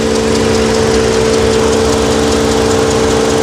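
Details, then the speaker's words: Car at auction idling: constant mid-pitched hum with a loose, uneven beat about twice a second; something doesn't sound right, could be a pulley or something expensive, cause not confirmed. "If you come close, you can hear something doesn't sound right in here. Now, that could just be a pulley. It could be something simple or it could be something very very expensive."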